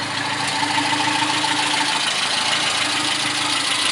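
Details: 1974 Ford Courier pickup, 1.8 L four-cylinder, swapped Weber or Holley carburetor, air pump removed, 4-speed manual: even, settled idle hum with a steady pulse, no misses or knocks; normal idle, runs pretty well.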